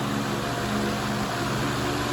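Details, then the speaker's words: Fan: steady low hum with a faint rattling buzz through the table; heavy vibration, but not as bad as expected. "There's definitely some heavy vibration. I can hear it in the table and I can definitely feel it, but not as bad as I was expecting."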